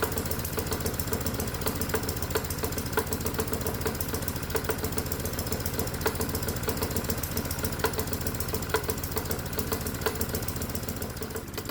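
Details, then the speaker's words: Modified lawnmower engine run as a hot-bulb semi-diesel with the spark plug disconnected, on a water-alcohol fuel mix at its limit; fast, uneven chuffing knock with ragged firing, running rough. "Today, we want to see how this engine runs on various fuels while the spark plug is disconnected, and I think we're at the limit right now with the water alcohol mix."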